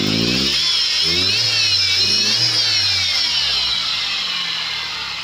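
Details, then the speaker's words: Chevrolet Vectra revving: loud high-pitched whine rising and falling with engine speed; owner suspects alternator belt, engine also cutting out on acceleration, owner suspects bad plug wires and spark plugs. "Aqui, galera, ó, quando eu acelero ele, ó. Olha o barulho, galera, ó. Não sei se dá pra ouvir aí na câmera, mas olha o barulho, ó. E ele tá dando tipo umas cortadas. Vendo, galera, ó. Quando acelera, ele aumenta o barulho, ó."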